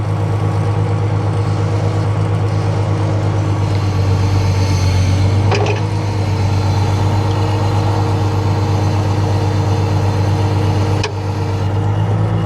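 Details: Freightliner Unimog FLU419 SEE military diesel at raised idle, running the backhoe swing, dipper and boom. Steady drone with brief load dips as the swing and boom move; hydraulics pull smoothly; normal hydraulic operation.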